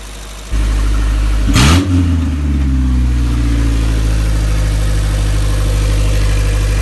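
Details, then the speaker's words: Isuzu Rodeo 4ZE1 engine after top-end rebuild with new head, old cam, rocker arms and distributor: catches, blips and settles into steady even idle without knocking, running on all four cylinders; compression not yet checked, timing possibly off. "she is running on all four cylinders and we have to check the compression but my god does it sound good"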